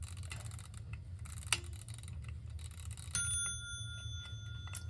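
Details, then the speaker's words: 1936 Ingraham SSD1 electric strike clock during restoration, plugged in to test: quiet motor hum, then a clean bell strike that rings on and slowly fades; the striking works normally. "All right, got it plugged in, and I'll turn it on. Well, it looks like it's working."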